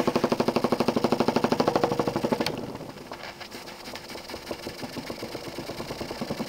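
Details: Jensen 20G steam engine, bought used, with a homemade rubber or silicone cylinder seal; hard regular bumping about three a second, slowing as the engine winds down, from a seal fragment loose in the cylinder. Fixed by remaking the seals properly.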